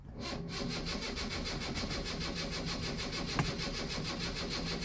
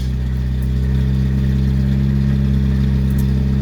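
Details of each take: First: 1974 Honda Civic Mk1 after sitting a long time, choke on, suspected faulty fuel pump; cranks steadily about six seconds without firing, then faint regular ticking; crank no start, no fuel pressure. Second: 1974 Honda Civic Mk1, just started on choke after fuel pump began building pressure, new spark plugs fitted: even, steady low idle with no misses or stumbles, running much smoother than before; normal idle.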